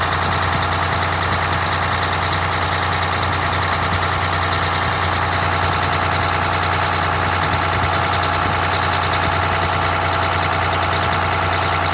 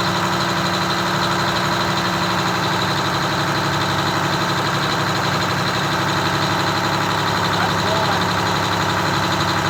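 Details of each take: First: Detroit Diesel 6V92TA two-stroke in a rebuilt Wanderlodge RV bus after idle adjustment: low, steady idle with usual fast rattle, no hunting or misses, set near 600 rpm (about 597 measured) versus 500 rpm minimum; normal idle. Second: Detroit Diesel 6V92TA two-stroke in a Wanderlodge bus, idling before adjustment: busy, even clatter well above normal idle, guessed around 750 RPM. It was then set down to about 600 RPM (596.8).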